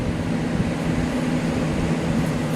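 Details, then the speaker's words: HP Evo D530 CMT desktop PC at power-up before booting to BIOS: steady loud whir with a low hum from a noisy cooling fan; cause unknown. "There's a noisy fan."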